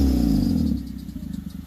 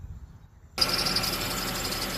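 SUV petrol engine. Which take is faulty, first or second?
first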